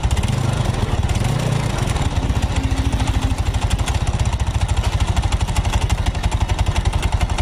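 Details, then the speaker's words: Yamaha Mio Soul automatic scooter at idle with the CVT cover closed: steady low putter, less noisy than at first start but a little rough and uneven. The mechanic suspects the cylinder block, head or connecting rod, not confirmed. "untuk di bagian suaranya ini tidak begitu berisik seperti awal kita Nyalakan saat posisi bakti di tertutup Ya tapi ini juga ada bermasalah di bagian mesin tengah dan bagian depannya karena suara mesinnya terlihat Terdengar agak kasar"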